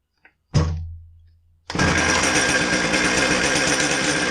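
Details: Husqvarna 455 chainsaw after oil pump inspection and clutch replacement for a not-oiling complaint; one knock, then a steady, high, raspy two-stroke buzz with no misfire or surging; normal running.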